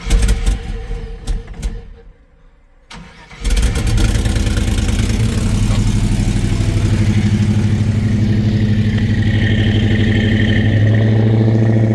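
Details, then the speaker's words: Chevy C10 on shorty headers with cheap new 2 1/4-inch exhaust on both sides, all tight: cranks, catches after a pause, settles into steady deep low idle with even beat; sounds healthy, normal start and idle. "So exhaust on both sides is completed. Now, with everything tight, let's hear what she sounds like. Probably no different."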